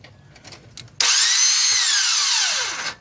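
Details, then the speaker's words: 2000 Nissan Altima GXE 2.4L that won't start. A high, steady whir for about two seconds that winds down in pitch; the belts don't move and the engine doesn't turn. The starter spins freely without engaging; cause suspected, not confirmed. "see it just rotates engine doesn't even attempt to start just a continuous rotation one more time"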